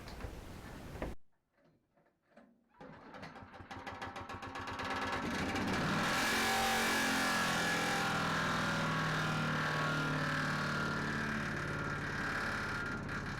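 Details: Chipper small engine that began rattling as if something stuck, after regrinding blade (dent likely from a rock between blade and housing): fires up, revs to steady high run with fast even rattle; rattling vibration noise, cause not found.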